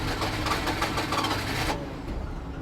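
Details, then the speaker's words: 1988 Daihatsu Hijet mini truck, sat for years, warm, jump pack added: steady cranking with half-catching pops that never take; cranks but won't start, owner suspects fuel pump over-pressurizing with no regulator, flooding it. "it's cranking better come on oh she wants to go she wants to go"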